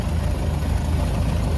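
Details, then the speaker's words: 1930 Ford Model A four-cylinder barn find, revived after 45 years in storage, warm after a drive, about 85°F outside: smooth, low, even idle with no ticks or knocks. Healthy. "so let me take you a quick little tour here what I did while it's running and there we go running really good"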